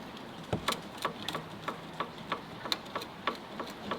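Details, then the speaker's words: Levering a pry bar between the anti-roll bar and drop link gives crisp metallic knocks, about three a second, from a worn drop link with a split boot. The knock is faint while driving; drop links are being replaced. "hear is making a little knocking noise. Now, the noise when driving is so faint that it kind of doesn't matter."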